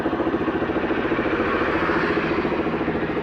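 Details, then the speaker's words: Honda XR200 after carburetor repair, starting on one press and idling: even single-cylinder thump, no misfire or hunting; running properly. "ano ayon one click umaandar kaagad 'yung motor."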